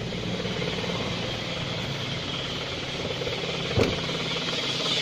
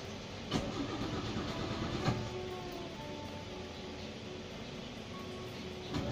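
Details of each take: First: Car warming up at cold idle without revving so oil can circulate through the engine, oil not yet fully up: steady, even idle with a fine busy chatter and no knocks or misses; healthy engine warming up. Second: Car that won't start on one crank, started with several short cranking attempts (2–3 times) rather than forcing one long crank, which would strain the battery and heat the cables: short cranking bursts with pauses, no catch at first; hard starting, cause not pinned down.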